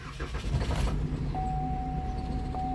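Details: 2013 Chevy Malibu crank no start: brief choppy cranking, then the engine catches and runs low and unsteady under a dash chime; no fuel, the fuel pump module had no power due to a blown 20 amp fuse.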